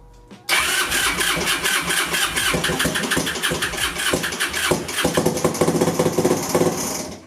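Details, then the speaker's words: 2002 Yamaha Breeze 125 quad, just rebuilt after a bent valve, first start on new timing: fires quickly and revs, with a rapid sharp internal ticking that speeds up with revs, not heard when turned by hand; cause unconfirmed, engine ticking. "but that noise was awful inside the engine it was ticking I didn't hear that when I was turning it"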